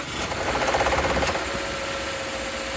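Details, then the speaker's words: 2014 Subaru Forester: a quick, even light ticking for about a second, then a steady run; the owner reports ticking and vibration on start, cause unclear. "Yeah, it has a weird little thing before a pulley starts. Like, Okay, no, it's not doing it because I guess it's already warmed up. Okay. But there's a video of it, and it sounds like it's like ticking."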